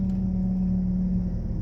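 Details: 2001 Toyota Camry after timing belt, roller and pulley replacement and correct-rated fuses, previously with erratic RPM when braking: steady low hum, even pitch, no hunting or surging; normal idle.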